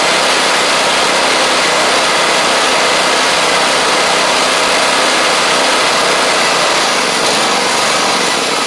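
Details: Gravely 260Z zero-turn mower with a Kohler engine, after eliminating the DSAI module and swapping ignition coils, running and driving; steady, even engine drone with no misses or surging; engine smokes a little and is heavily used; runs properly.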